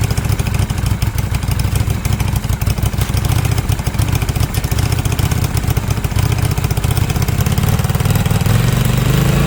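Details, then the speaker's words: Cheap Yamaha single-cylinder motorbike just after carburettor and fuel-line cleaning, air filter not properly connected: idle thumps along steadily but a little unevenly, beat wavering; slightly rough idle, idle adjustment may be needed. "maybe have a little look at the idle adjustment because it didn't sound like it was running brilliantly but it might run a bit better once the air filter is connected up"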